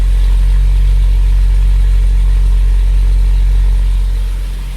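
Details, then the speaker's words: Jaguar XJ-S V12 HE, mic at the right-hand tailpipe after re-jointing a cheaply repaired exhaust: a deep, steady boom under a smooth idle. Exhaust drone, suspected blown rear box after revving to 5,500 rpm. "this is the right hand tail pipe there is a slight bit of a drone underneath but you can definitely hear it"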